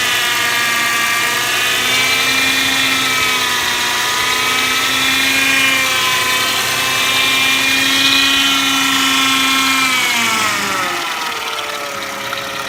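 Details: 1999 Mercedes ML 320, loud steady high whine while driving, several tones rising and falling with engine speed; source of the whining noise unknown.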